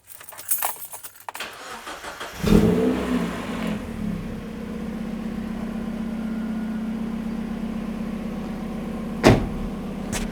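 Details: Second-hand Mazda MX5 being started before an oil change, run about 5 minutes to warm the oil before draining: handling clatter, then engine cranks and catches, settling into a steady even idle with a deep exhaust note; normal start.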